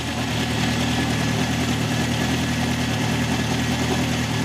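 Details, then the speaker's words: 1971 Honda CB750 K1, 18,000-mile original bike, hard starting and running poorly. It has an uneven, lumpy, loping idle; carbs are badly out of sync, with cylinder one showing almost no vacuum. Ignition timing checked spot on. "yeah we're going to have do the synchronization that [Music] sink oh yeah one is like no vacuum at all according to this no"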